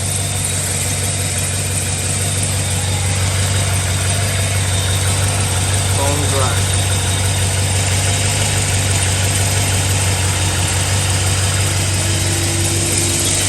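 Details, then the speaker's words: 2007 Chevy Suburban 6.0 LS V8 at cold idle, after exhaust manifold work: smooth, steady low rumble with no ticks or knocks; expected even quieter when warm. "just look at that hovering beautifully beautifully that's what we like steel cold when the thing warm up it's going to be even quieter when it idle down"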